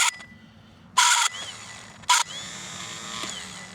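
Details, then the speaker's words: Land Pride ZTS 48-inch zero-turn mower starter tested on the bench with a jumper pack: short bursts of harsh high-pitched shrieking as it spins, drive gear not engaging fully; owner suspects a lubrication issue. "What was the shrieking noise? It was not a grinding noise like my teeth are not engaging all the way or trying to engage but not doing it right all the way."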